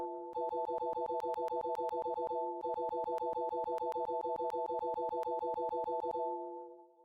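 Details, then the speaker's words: Asus Xonar DG sound card on Windows, default sound played rapidly: chime with sharp pops and crackles on many notes; also happens on other computers and onboard audio despite driver changes, cause unknown. "When I slam it repeatedly, it tends to start crackling or popping."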